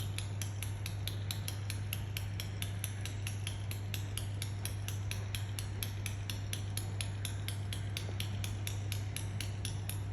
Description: While waiting for a train at Doncaster railway station I heard this odd clicking sound Like its tutting coming from a train.